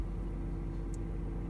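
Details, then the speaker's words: BMW E34 Getrag 260 manual gearbox humming, heard in cabin at idle with clutch pressed and released, after adding MANNOL gearbox additive: steady low drone, no knocks; cause unconfirmed. "Ну пока звук слышно в салоне вот сейчас выжимаю сцепку бросаю"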